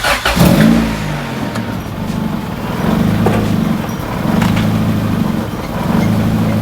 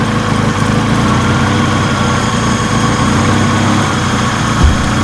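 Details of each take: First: B-swapped EK Honda Civic that stalls at stops, first start after a new throttle body is fitted: the petrol engine catches, flares, then settles into a low, smooth idle that still hunts up and down slightly. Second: B-swapped EK Honda Civic that stalled at idle, after a new throttle body was fitted and the idle adjustment screw opened; steady, slightly raised idle with a loud high intake whistle, sounding healthier.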